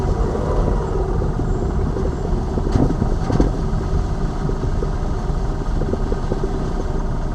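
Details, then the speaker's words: Lada Vesta Cross over bumps after dealer warranty replacement of front shock absorbers/struts (right SAAZ shock); recorder plus cabin phone; steady road rumble, couple of soft thumps, no knocking; knocks gone after replacement. "соответственно слева мы поменяли слева стуки вот эти дурацкие пропали справа поменяли стойка амортизатора и здесь же звуки пропали"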